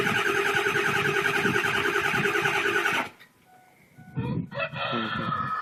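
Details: 2002 Ford F250 7.3 Powerstroke diesel, first crank after sitting overnight at about 50°F: steady starter churn that doesn't catch, with white smoke; new glow plug relay didn't help, and owner suspects glow plugs and weak batteries.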